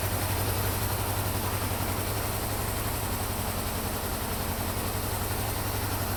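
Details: Warmed-up 1974 Honda CB550 after static timing set and carburetor synchronization: steady, even four-cylinder idle burble with no misses or surging, idle now adjustable from about 500 rpm.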